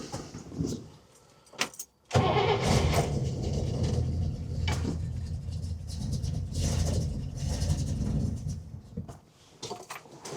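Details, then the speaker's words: 1961 Buick LeSabre nailhead V8, first start attempt with fuel drawn from about 20 ft away: long starter churning bursts with uneven chugs that never catch; fuel not yet reaching carburetor, ether tried, choke possibly disconnected. "So, we're still waiting for it to pull up gas from the back. Now, keep in mind that's like 20 ft away, so it's got a lot to pull."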